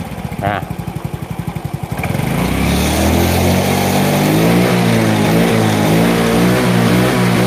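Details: Yamaha Mio J fuel-injected scooter with a borrowed injector fitted in place of the suspect one: lumpy idle chug, then revs up smoothly to a steady, even drone with no misfire; pulls cleanly, normal revving.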